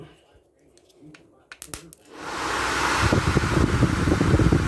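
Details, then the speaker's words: 1980 Chevy 4x4 truck motor on test leads, run in reverse after WD40 lubrication: a few clicks then strong steady airy whir, no grinding or squeal; freed up and running normally. "that's reversed so I got the ground hook to the positive and the positive hooked up to the frame that really woke this motor up"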